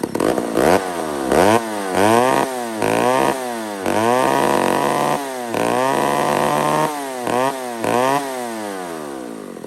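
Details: Old McCulloch 1-71 chainsaw after a major carb upgrade: carb rebuilt with jets from another carburetor, leaking gas line zip-tied, intake leak fixed with a double gasket. Crisp throttle blips about once a second, rising cleanly and returning to idle without stumbling. Normal running.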